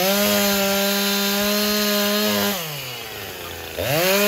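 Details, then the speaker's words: Chainsaw after cleanup of a scored cylinder and a new piston and ring, carburetor untouched: strong steady high two-stroke buzz sags as it bites into wood, then snaps back cleanly to full revs; healthy cutting. "this thing is awesome let me start it up show you cutting here"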